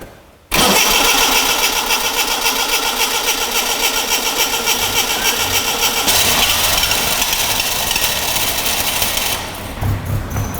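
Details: Classic Mini Clubman campervan, 1275 automatic, cranked while the fuel tank is pressurised by blowing to push fuel to the pump: a steady fast cranking churn, about three and a half beats a second, never firing; fuel not reaching the engine, possibly an air lock.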